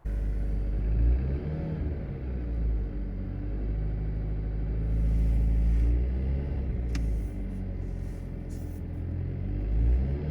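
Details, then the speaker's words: 2023 Alfa Romeo Stelvio Veloce at cold-start idle: a steady, low droning resonance buzz from right behind the instrument cluster. The source is unconfirmed; the owner wonders about a rattling wastegate/turbo rod, a known issue on earlier 2.0s. "you just hear like a resonance noise coming like right behind the instrument cluster."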